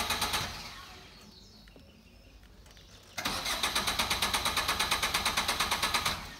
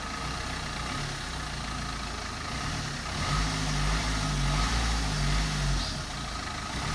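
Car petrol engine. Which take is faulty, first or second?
first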